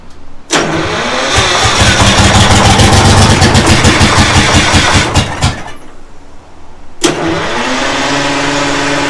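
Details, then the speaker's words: Detroit Diesel 6-71 first start attempts; catches and runs rough about five seconds, fades and dies, restarts and stumbles again, burning out fuel pumped into the head; fuel starvation from air-locked fuel pump, timing also questioned. "As soon as it burns the fuel out of the head, So everything you pump up there, it burns it out, it just dies."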